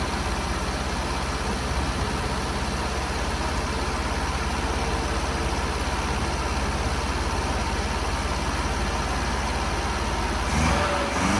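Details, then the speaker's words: Long-unused Scamp small petrol engine started with a boost pack on its weak battery; steady, even low rumble at idle with no misses or knocks. Owner suspects it may need a new coil and spark plugs. "finally a little bit of success uh yeah just needed the Boost pack on there just to then it just sparked into life"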